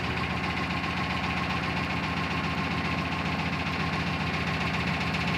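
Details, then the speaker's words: Built 400hp Subaru Outback XT on quick jacks, intermittent noise over 2000 miles: steady engine run with a regular dull knock, roughly four a second; first feared rod knock, owner then says it's coming from the front diff, not confirmed. "Oh, it's not rod knock. It's not rod knock. It's coming from my front diff."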